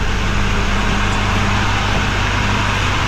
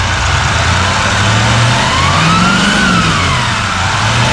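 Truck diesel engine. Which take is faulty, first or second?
second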